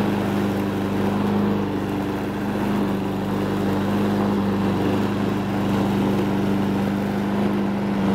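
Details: Honda Harmony 215 mower engine, warm, after a third carb cleaning; the low-end idle mixture screw broke and could not be cleaned. Steady, even drone at constant speed with no stumbling or surging; normal running.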